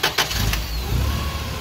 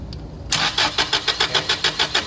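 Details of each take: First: Toyota 8 Series 5,000 lb LPG forklift, 4Y-ECS engine, after reconnecting the FCM: a short crank, then it catches at once and settles into a steady low idle; it starts right away. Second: Toyota 8 Series 5,000 lb LPG forklift with a 4Y-ECS engine: steady starter chug, about six pulses a second, with no start. The mixture screw was likely turned in too far, blocking gas flow to the FCM so pressure is held.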